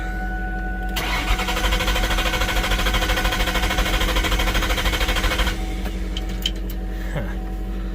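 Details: 2000 Mustang GT with a new clutch and transmission just installed and the exhaust unhooked, cranking steadily at about 2.5 beats a second for four seconds without firing while lights flash: the anti-theft immobilizer is blocking the start.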